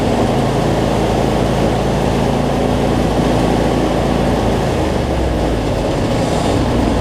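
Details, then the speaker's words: Cub Cadet zero-turn mower, Briggs V-twin, after adjusting a governor that let it race out of control and fixing rich running: steady, even low drone at constant governed speed, no hunting, no black smoke; battery not charging. "so much better though no black smoke so so all right let's see we got multiplied here"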